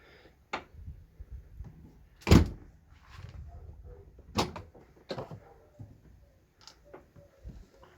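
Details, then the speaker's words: Ford Fusion tailgate after lubricating the hinges with grease behind the trim to cure a creaking squeak: opens and shuts with only soft thuds from the bump stops and latch clicks, no squeak or creak. "Тишина Ну просто кайф тихо-тихо все гарно отбойнички спрацьовують"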